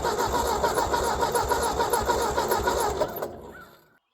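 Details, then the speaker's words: 1957 Ford 640 tractor, sat for years, with cleaned carburetor, fresh non-ethanol gas, new battery and starter cable: cranks evenly at about three and a half turns a second without firing; no spark found, later new plug wires and cleaned points. "With the new battery finally turning the engine over correctly, I could check for spark and I was not getting any."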